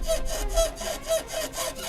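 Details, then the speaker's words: Car front suspension with the control arm being flexed: rhythmic creaking groans, about three in two seconds, rising and falling as the arm flexes; control arm bushing creak, also heard with 2–3 people aboard. "Arkadaşlar bu sesimiz şu anda salıncağı esnetiyoruz. Salıncak burç sesi."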